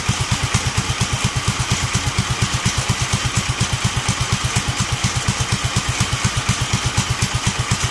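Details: Duromax 18hp single-cylinder engine: thumps about six times a second but the beat wavers and sags, so the low idle is barely holding.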